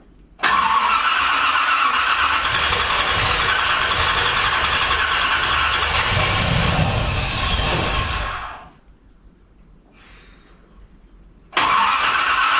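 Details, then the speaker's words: 1981 Corvette, after a shot of gas and a slight timing adjustment: it catches and runs roughly with an uneven, rattly beat, cuts out, then restarts. The owner suspects slightly-off timing and too much fuel. "At least she's doing this. think we're off a little bit. Getting too much fuel."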